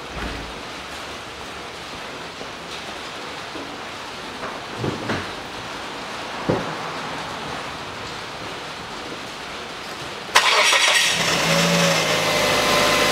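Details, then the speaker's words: 2006 Mazda 3 1.6, after replacing the drive belt (AVANTECH 6PK2010), idler (GATES T36418) and tensioner pulley (GMB GTA0490): the engine fires and runs at an even idle with no rumble, chirp or clicking. The belt isn't wandering; normal belt and pulley operation. "И все. Рокота и цокотания с роликов нет. Ремень на ролике не гуляет, и ролик новый не гуляет, ходит"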